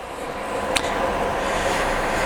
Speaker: So this turns on those fans that I was telling you about earlier. I turned them on. Okay, now you can kind of hear it. Yeah, there we go. Now that it's at full speed.